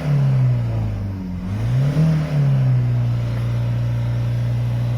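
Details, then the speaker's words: 2017 Ford Mondeo 2.0 TDCi diesel after replacing the faulty oil pressure switch that caused limp mode, and the oil filter: revs blip up cleanly past the old ceiling and settle to a steady low idle without hesitation, so far so good. "good yeah oh so far so good I'll test it out on the way home make sure we've got full power and it doesn't do that again"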